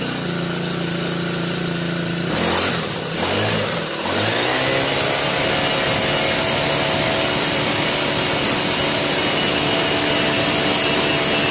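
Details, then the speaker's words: Brand-new Turbotech SD T35 4S four-stroke brush cutter that would not start; after replacing shorted ignition coil it catches in a couple of pulls and settles into steady high even buzz, running properly. "दोस्तों जैसा कि आपने देखा इस machine का ignition coil short कर गया था मैं मैंने न्यू इग्निशन कॉइल इस मशीन में लगाया और मशीन स्टार्ट हो गया"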